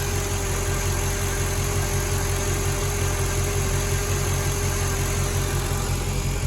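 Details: Mercedes ML55 AMG V8 after oil catch can install, check engine light on for an EGR fault: steady, even idle with a smooth regular beat and no stumbles; a slight vacuum-leak-like sound came from the dipstick sitting out because of a worn O-ring. Normal idle.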